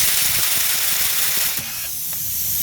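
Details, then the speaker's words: Car tyre with a tread puncture, object removed, wheel off the vehicle before Wheelsecure sealant gel seals it while driving: sharp steady hiss of air escaping, dropping slightly halfway then holding on; tyre losing pressure. "Donc là on entend vraiment bien que ça crève."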